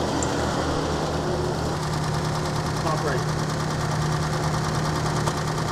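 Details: 1938 Chrysler Imperial, parked for decades, at a steady, even low idle with a smooth rumble and no knocks or ticks. Smoke is only penetrating oil burning off the exhaust, and it is not flooding. Healthy idle.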